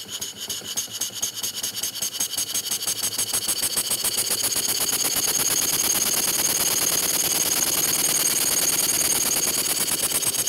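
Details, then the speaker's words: Model steam engine running on air after mounting and valve timing adjustment: fast, fairly even ticking about three per second over hissing exhaust; light knock, owner suspects something slightly bent, not confirmed. "I think I got my timing set we've still got a little bit of a knocking noise up here and I'm not exactly sure what's going on I think something's maybe just bent or something a little bit I'm not sure"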